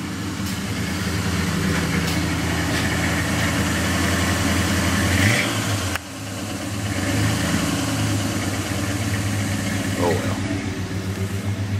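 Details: Chevy 350 V8 just reassembled, timing chain lined up and timing cover refitted, fired up: steady even idle with low rumble, no top-end ticking, running normally.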